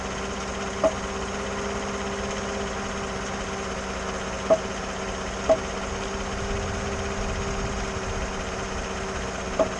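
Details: 2014 GMC after power steering motor replacement and dealer reprogramming, stationary and turning under load at idle: a few sharp isolated pops seconds apart; absent when moving, cause unknown.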